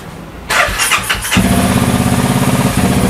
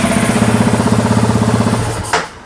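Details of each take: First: Honda Wave with a CBR300 engine, first start on a newly loaded tune file: catches after a short crank and settles into a quick, steady idle that is too fast, so the fuel value is then lowered; fast idle. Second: Honda Wave fitted with a CBR300 engine, running the stock CBR300 ECU file, idling at about 1,700–1,900 rpm: even, quick pulsing idle with steady firing and no knocks or misses, then switched off; normal stock idle.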